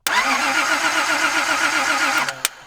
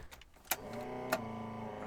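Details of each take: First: Datsun 260Z that wouldn't start. The starter cranks at an even, fairly quick rate for about two seconds but never catches, with no spark because the key is off. The starter was later replaced. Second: Datsun 260Z that reportedly cranked but wouldn't start, possibly bad gas, on a borrowed battery; after a click, steady electric whir of the fuel pump priming normally; engine cranks but doesn't start.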